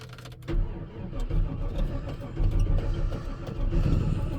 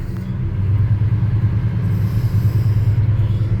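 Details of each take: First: 1985 Chevy Squarebody V8 truck, about 400,000 km, one owner, sitting a while, jump-started with big leads: steady low starter churn for several seconds without firing, likely needing to draw fuel from the rear tank; extended cranking, no start. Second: 1985 NZ-new Chevrolet Custom Deluxe Squarebody truck V8, long-sitting, formerly LPG-run, being brought up to temperature: deep, even burble holding steady with no knocks or misses; oil pressure good, healthy engine settling into normal warm-up idle.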